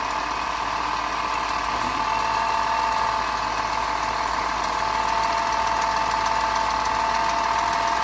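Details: 2010 BMW 4.4L turbo V8 with 75k miles, sold as rebuildable with a bad turbo and noisy upper end: at idle, a steady turbo whistle-whine with fast, uneven top-end ticking; the cause is suspected, not confirmed.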